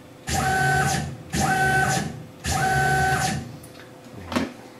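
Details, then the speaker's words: Tormach PCNC 1100 Series 2 mill after replacing the failed stepper motor driver: three smooth one-second jogs ramping to a clean steady tone and back down; stepper axis runs normally. "let me jog the machine here here's X which should be just fine everything looks good"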